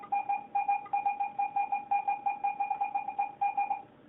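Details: Garrett AT-Pro metal detector air test with a 1941 silver Mercury dime at about 6 inches, reading ID 82. A clean warbling two-tone beep repeats about three per second, a solid high-conductor silver reading.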